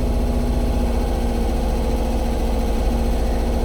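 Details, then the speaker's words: 1977 VW bus idling shortly after start: low, uneven idle with an irregular, wavering pulse that sounds about to stall; a bad coil is wondered about, not confirmed, and the tach may not work. "Sounds like it's gonna die. I wonder if the tack even works."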